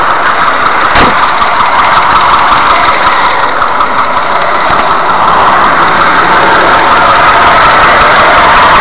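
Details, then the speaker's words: VAZ 2104 (Lada classic) engine just started: light, fast metallic chatter over the engine note; slack timing chain, likely broken chain damper if tensioning doesn't help; damper replacement follows. "Если вы услышали такой звук то значит у вас расслаблена цепь"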